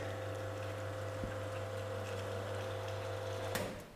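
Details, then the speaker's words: Sanremo espresso machine pulling a shot: sharp solenoid valve click, then a steady low pump hum with no grinding or rattle, ending on a second click; pump and solenoid are normal. "We hear a click of the valve and the hum of the pump motor. There should be no loud or abrasive noises, and water should flow freely."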